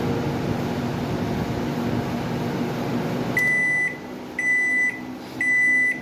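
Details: Microwave after repair, its magnetron having been killed by high transformer voltage: steady even hum with no buzz or crackle, current now a normal 15–16 A versus 20–23 A before, then three end-of-cycle beeps.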